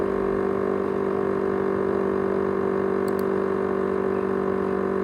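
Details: ASUS X543UA laptop with 500GB USB hard drive: constant mid-pitched hum with a steady whine that never changes pitch; loud whine, cause not identified.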